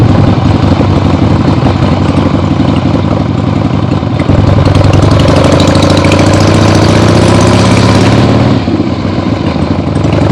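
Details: Freshly rebuilt 1975 Harley-Davidson XLH Ironhead Sportster V-twin on short test ride around the block; deep loping beat pulling up and settling smoothly, no knocks or misfires; a few carb farts probably adjusted out once warm; normal running.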